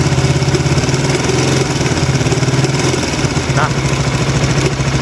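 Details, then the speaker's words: Honda Sonic 150R single-cylinder at idle, fast dry metallic clatter from a worn, loose cam chain left since about 40,000 km, now around 53,000 km; severe, and the chain could jump; fix involves tightening the tensioner gradually. "kan e suaranya ngeri juga ya. Maksudnya gua udah gitu udah parah udah lama ces itu dari 40.000 km sampai ke 50 berapa 53.000 R sekarang itu udah termasuk parah sih kata gua."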